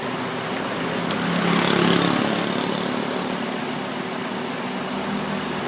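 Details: 2003 Honda Accord K20 petrol engine idles unevenly with an irregular thumping stumble, an engine misfire; cylinder number 3 is apparently involved.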